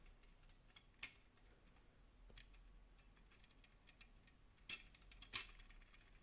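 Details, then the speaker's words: PowerColor Red Devil RX570 graphics card, used and likely mined on, fan spun by hand on the heatsink: sharp, irregular ticks from shot bearings; fan must be replaced. "The bearings are shot in here. I have to replace that."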